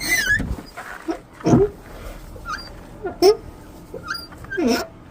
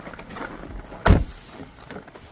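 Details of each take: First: Car door hinge swung: short whiny squeals bending in pitch from a dry hinge; fixed by spraying WD-40 on the hinges, squeal disappears instantly. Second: we go. No more squealing noise.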